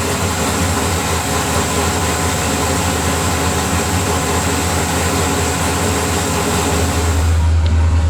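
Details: LS V8 in Nissan S14 after engine reinstall (pulled for oil leak), primed and fluids filled; deep, steady rumble holding even, firming up near the end, no miss or knock; normal idle.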